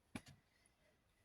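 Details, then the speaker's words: Toshiba 460CDT laptop with a 40 GB Toshiba mechanical hard drive booting MS-DOS 6.22. Two quick light head-seek ticks, then quiet hum; normal drive sound. "Yep, that's the sound of a mechanical hard drive. 40 gigabytes."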